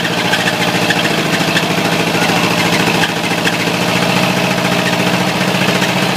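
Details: Ford 351W V8 with a spun rod bearing, abused until it dies: rough idle with a heavy, regular knock hammering about three to four times a second; rod knock from the spun bearing.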